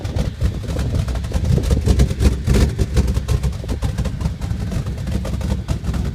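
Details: Dodge Ram 1500 at idle; low, uneven rumble with lumpy, irregular pulses that never settle into an even beat, a rough idle.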